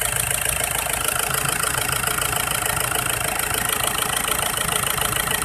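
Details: Isuzu Trooper 4JX1 diesel, engine shaking: idle with a rattling knock beat a little over two per second, slightly uneven; rough running blamed on an injector problem.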